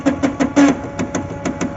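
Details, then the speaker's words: HP LaserJet M436/M433/M438 printer under applied load on mechanism: irregular bursts of sharp clicks and thumps as a gear slips; fault traced to the drive turning the developer unit. "Load दल के देखते हैं क्या पता load के कारण कोई gear slip कर रहा हो यहां पर प्रॉब्लम है देखिए ये वाला"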